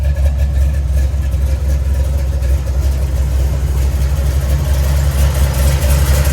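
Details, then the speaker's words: 1970 Chevy Nova heavily cammed big-block Chevy V8 on solid mounts, exhaust heard on a walk-around after a coolant leak fix at the water outlet gasket; deep steady lopey rumble with even pulses, no knocks or ticks, healthy. "do a walk around so you guys can hear the [Music] exhaust yeah she sounds good and that big black rumbles"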